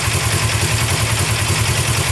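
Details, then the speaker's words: Suzuki GS500 motorcycle, first fire-up of a new engine built from four engines after a balancer bearing failure: even, quick thumping idle with light valve clatter, no stumbles, and the earlier bearing noise gone. "oh yeah we woohoo we did it look at that idles perfect nice very"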